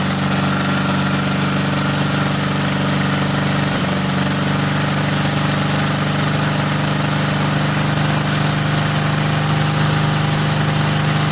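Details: VW air-cooled flat four with Weber progressive carburetor, sat a while, fired right up after earlier trouble firing a couple cylinders at idle; steady, even idle with a dry chatter, no stumbling or misfires, runs right.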